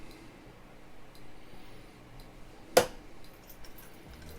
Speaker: You might hear the relay clicking when we do this. So, this is testing the relay uh the flasher relay is working